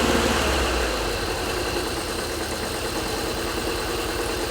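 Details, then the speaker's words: 1985 Subaru turbo AWD coupe, 44,000 miles, parked about 30 years, first run after revival: uneven, lumpy idle with an irregular stumble about four times a second; suspected one cylinder missing, unconfirmed. "I still think it's a cylinder missing [Music] somewhere sounds good though"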